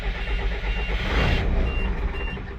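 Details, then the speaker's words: Ford F800 military truck with a 12-valve diesel, idling to build brake pressure. Short high-pitched warning beeps repeat over a low rumble; the brake light later goes out. Cause not confirmed. "The thing's beeping for some reason. And it says push to release."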